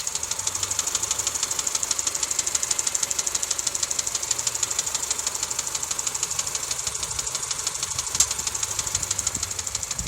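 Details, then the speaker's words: 2007 Honda Civic LX coupe, 168,000 km, switched from synthetic to regular oil, warmed up: steady sharp metallic tick-rattle at idle, about three a second, cause unknown. "Hey guys, this is what my car sounds like when it's warmed up."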